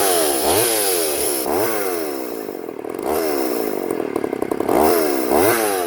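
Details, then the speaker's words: Poulan 3400 Countervibe (Craftsman 3.4) vintage chainsaw cutting wood after lowering the carburetor diaphragm metering lever that was set too high and caused loading up and bogging; revs up strongly into each cut, holds speed, drops back cleanly, running right. "wow all right she's a little honey"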